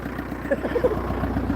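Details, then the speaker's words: Kia Sedona diesel after cam belt change, first successful start: even diesel clatter at a steady, settled idle with no misses or stumbles, some smoke on startup; engine running cleanly, timing evidently correct. "It's alive, guys. Sorry about the smoke. But yeah, it's running. And it actually sounds alright."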